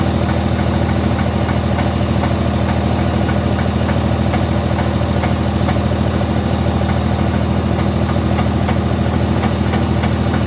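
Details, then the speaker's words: Diesel truck at deep idle after a dyno pull: sharp metallic clink repeating evenly about three times a second, getting louder; loose torque converter bolts. "Initially, I wasn't really startled because I thought it was them unstrapping and restrapping cuz it was like clink clink clink clink and I was like, "Oh, they're probably just restrapping the truck.""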